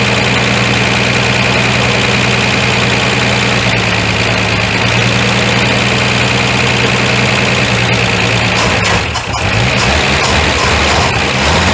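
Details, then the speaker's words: Ford Fairmont first run after 35 years, smoking heavily after the ignition timing was just reset: rough idle with an uneven beat and an occasional stumble around the ninth second. It is still missing a bit at idle, and carb tuning later removes most of it. "it still got a wee bit of a mess every once in a while but I ain't going to worry about it"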